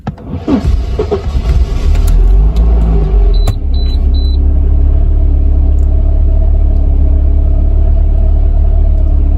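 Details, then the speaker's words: Mercedes 190E (W201), M102 petrol engine, starting problem for about two months: on start it cranks and catches, revs briefly flare with a metallic noise, then drop quickly and settle at a slightly raised warm-up idle. "enciendo el motor, la velocidad del motor salta por un momento y luego cae rápidamente. Cuando la velocidad del motor aumenta, también se escucha un ruido extraño (sonido metálico)."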